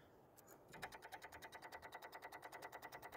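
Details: Infiniti G35 sedan with a recurring no-start: fast, even clicking about eight times a second from the engine bay, with no cranking. The battery is low on charge; a weak battery chattering the relay or solenoid is suspected.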